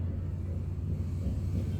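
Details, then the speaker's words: LG direct drive washing machine during spin/drying: deep rough rumble with uneven throb, louder than spin used to be, quiet during normal wash; worn drum bearing suspected, later replaced. "saya punya mesin cuci LG ya Mama belakangan ini waktu pengeringan atau tuspin suaranya agak keras dan kasar"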